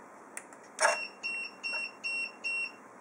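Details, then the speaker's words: AAT antenna tracker switched on after reset: thump then short evenly spaced high beeps in a quiet room, confirming tracker and configuration reset (mode returns from high-speed GPS to normal). "okay listen carefully when I switch on one two you hear one beep this means the tracker is reset and also the configuration is reset"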